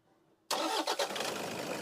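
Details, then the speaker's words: Toyota Innova diesel, idle vibration and check engine light traced to a faulty three-socket injector driver (EDU), replaced with a used unit: starts at once, settles into a smooth even idle; vibration gone. "तो ये अपना पूरा vibration बंद हो गया। Engine एकदम silent हो गया। ये पहले ऐसा हिलता था। अभी हिल नहीं रहा है।"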